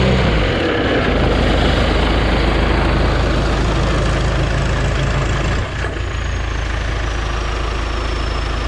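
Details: John Deere stationary engine driving a strawberry-field irrigation pump, after an emergency clutch replacement. Deep, even diesel rumble with a steady firing beat of about two hundred per minute; the engine runs smooth and healthy.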